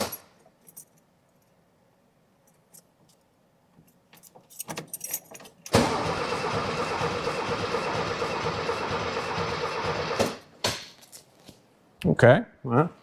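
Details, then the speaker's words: 1979 VW Super Beetle air-cooled, first crank after over 10 years sitting, new battery: keys rattle, then about four and a half seconds of even, strong cranking with no firing; normal healthy cranking. "it's a nice healthy cranking engine."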